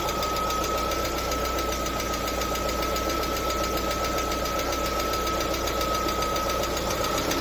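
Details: LADA Vesta at 45,000 km idling with light quick ticking about three or four per second; hydraulic lifters knocking due to oil pressure fluctuations from a torn oil pickup ring seal.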